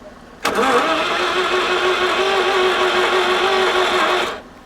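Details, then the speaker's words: 1983 Mazda RX-7 FB barn find, rotary engine, long stored: steady even cranking for about four seconds that never catches; fuel pump runs but nothing comes out, fuel system dry, no fuel delivery. "yeah it's definitely got a fuel pump on it well nothing's coming out though yeah which means it's dry"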